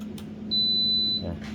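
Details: Sunhouse induction cooktop after repair of a failed power supply and power stage with a new SDH8302 IC, drawing about 7.38 A at 1700 W: a clear high beep over a steady electrical hum, no buzz or crackle; normal operation.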